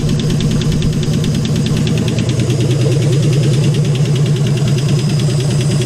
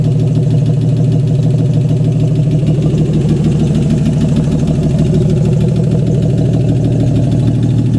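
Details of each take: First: AMC 199 engine in a 1951 Hudson Hornet after head rebuild, idling with oil leaking and burning: steady light ticking two or three a second over rough low rumble; valvetrain ticking, suspected too much clearance from worn valves or lifters, not confirmed. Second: AMC 199 engine in a 1951 Hudson Hornet, just reassembled after a cylinder head rebuild and started: smooth, even idle with a steady low thrum about three pulses a second; normal idle, running good.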